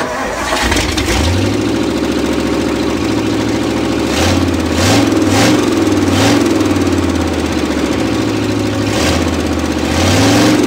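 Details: Thunderbird V8, possibly 352 of 300 or 350 hp, after cleaning the carburetor and setting timing: catches quickly, settles into a steady lope and answers several throttle blips cleanly with no miss or stumble; runs better.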